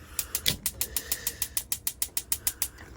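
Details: Bailey Phoenix 650 caravan gas oven push-in piezo igniter; sharp dry clicks about three a second, evenly spaced over a quiet background, sparking normally before a clean blue flame.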